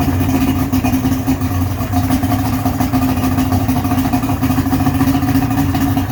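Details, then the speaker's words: Johnson 55hp two-stroke outboard on a cheap boat, test run after hookup: steady burbling idle that wavers slightly, started and sounds better but idle still uneven; carb adjustment needed. "all right well i would say that sounds a lot better we've got more of that blah sort of sound going on i think it's i'm not going to say it's fixed but play around with the carbs a bit we'll see if we can get it to idle better"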